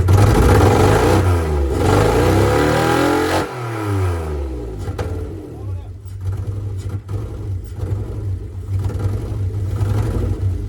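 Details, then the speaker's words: Mitsubishi 3000GT SL front-wheel-drive V6 project car, first start attempt: revs rise and fall, then the idle turns lumpy, stumbling about four times a second. It is misfiring and not running on all six cylinders; the owners suspect it needs two coil packs. "you said it was running on six cylinders we wish it was so the car is not running on all six cylinders we gotta go buy two coil packs tomorrow"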